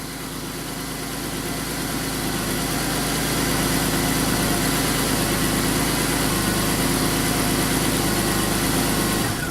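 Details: 2001 Pontiac Bonneville with a misfire and check engine light: settles into a steady, even idle with no misses or stumbles and sounds healthy. Number 5 cylinder misfired twice on startup, then stopped.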